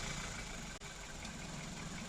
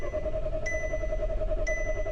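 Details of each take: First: 2014 SEAT that cranked but wouldn't start, earlier misfiring when warm. After correcting the reversed fuel pump hoses it starts and holds a steady, smooth, even low idle with no knocks or misses; the ECU and injectors are fine. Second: 2014 Seat that bucks and loses power when warm, now not starting: starter spins the engine evenly at about three and a half turns per second but it never fires, then cuts out; crank no start, ECU confirmed powered.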